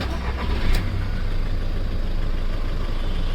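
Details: VW Polo/Vento diesel after injector replacement, air bleeding and clearing injector fault codes: quick catch with brief rise, then steady low diesel rumble with no misfire; starts clean, idles evenly, no trouble codes.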